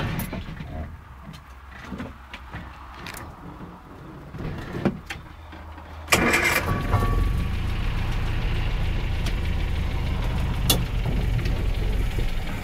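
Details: Land Rover Series engine: weak cranking, then it catches and runs with an uneven, lumpy beat over rumbling background; running rough, owner suspects water in the gas.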